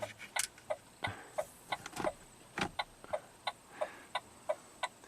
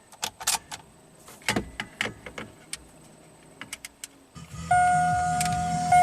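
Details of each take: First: 2008 Saturn Astra with battery at 11.5 V: sharp uneven clicking about three a second as door locks actuate erratically and a relay clicks when lights are switched on; electrical ghost fault. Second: 2008 Saturn Astra after jumping a bad ground in the left headlight harness: crisp switch clicks, steady chime and motor hum, no relay chatter; headlights, marker lamps, turn signals and door locks now work normally.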